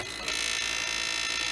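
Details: Original Xbox DVD drive loading games: loud, harsh high-pitched scraping hiss, steady throughout, as the spinning disc rubs metal, likely after someone pried at the drive.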